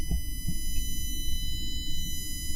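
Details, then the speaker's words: Philips Hue Lightstrip+ power supply, with a condenser mic held close: thin, steady high-pitched whine of stacked tones over low rumble; all four power supplies buzz, seemingly worse with more extensions attached. "the power supplies they emit a high-frequency loud buzz kind of whine noise"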